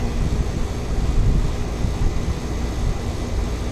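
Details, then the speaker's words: Ameristar 4-ton AC condenser in 106F heat after replacing a failed Genteq capacitor with a Mars 60/5: steady unbroken low hum of compressor and fan, no clicks or buzzing; cooling the house, sounds healthy. "Yep, it's already pulling a bunch of heat out of the house. That's good."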